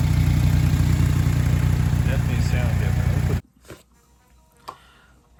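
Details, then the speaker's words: Honda D16Y7 with newly installed budget homemade short ram intake, warmed up 5-10 minutes, no check engine light; deep steady idle with even beat and audible intake breathing, then shut off; healthy. "Sound test. You can definitely hear it sucking up air."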